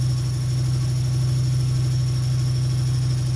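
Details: 2003 Dodge Neon 2.0 with an SRT exhaust, new timing belt and rebuilt head; 190 psi on all four, new plugs, no vacuum leak, no check engine light or codes. A stumbling, uneven idle that smooths slightly with gas but still runs rough.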